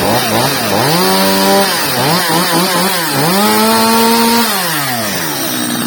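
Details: Stihl 230 chainsaw after repair with new bar and chain: crisp two-stroke revs rising and falling cleanly while cutting, pitch steady at each throttle step; runs healthy and strong.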